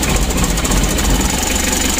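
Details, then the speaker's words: Mitsubishi L300 diesel at idle, before fix; loud, lumpy idle with hard uneven clatter, rough knocking roar and low shudder, engine visibly shaking, not settling smoothly. "untuk permasalahan pertama mesinnya goyang seperti ini lalu yang kedua Suaranya sangat kasar bertelur suaranya ada ngorok"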